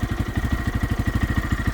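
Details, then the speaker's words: Lifan KPX 250 dual sport single-cylinder, owned about six months, idle set with the set screw: steady, even, quiet putter about ten pulses per second, no misses; healthy idle, not loud like a Harley. "So, it's quiet, too. Um, which is nice. I don't I don't really need a super loud bike of Harley rabble rable kind of deal."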